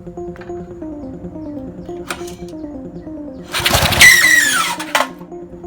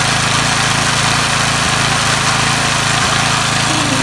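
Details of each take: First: Briggs & Stratton 3 HP engine on an MTD edger: sharp, high squeal during recoil starter pulls that stalls the engine; the starter clutch cap is unsealed, its ball bearings dislodged, and it binds dry and rusted. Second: Briggs & Stratton 3 HP engine on an MTD edger, first start after repairing the starter clutch (unsealed cap, dislodged ball bearings) that squealed and stalled it: steady, even running, crisp exhaust, no squeal; normal running.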